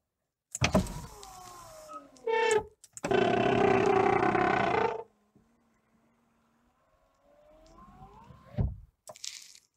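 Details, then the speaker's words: Porsche 911 996 phase 1 Cabriolet, convertible top closing: a shrill, strained, ear-hurting whine from the hydraulic roof pump for several seconds while the top moves extremely slowly. The pump is running nearly dry, low on hydraulic fluid; risks pump or motor damage. "On peut déjà constater un bruit très anormal, une lenteur plutôt extrême. J'ai mal aux oreilles."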